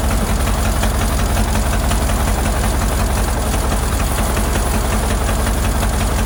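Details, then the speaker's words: Ford Model AA doodlebug four-cylinder with new carburetor, revived after sitting: heavy, rough idle with uneven, lumpy beat; plug-shorting test shows cylinders 3 and 4 not firing properly; owner earlier suspected a stuck valve. "well as I suspected there's something going on with a couple of cylinders I used a screw screw driver to short out the plugs best I could it looks like something on the back end back here on number three and number four aren't working too good"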